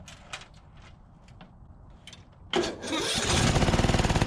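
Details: 2004 Craftsman DYT4000 riding mower after fuel tank and drive belt work, running on choke: engine catches with uneven surging pulse, hunting; carburetor issue, some drive-belt tensioner pulley noise, transaxle good.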